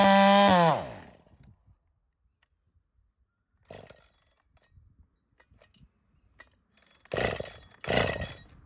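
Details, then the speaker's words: Holtzfforma 372 chainsaw with a big-bore kit, heavy porting and 0.030 squish: it screams at high revs mid-cut, then the pitch sags and it dies. Engine failure; owner feels the cylinder rattling, as if the cylinder bolts came loose. "well something just failed can you hear it something definitely failed boy that sucks yeah we're definitely getting back into it now that changed everything"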